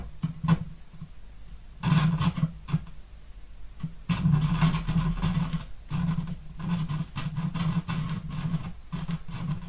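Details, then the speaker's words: Harman Kardon HK6650R receiver on cold start after reassembly: low hum with rough crackly bursts from the speaker output that gradually fades; channel-level imbalance blamed on a faulty tiny switch, owner now suspects electrolytic capacitors too. "I think you also can hear it. And now gradually it's going down."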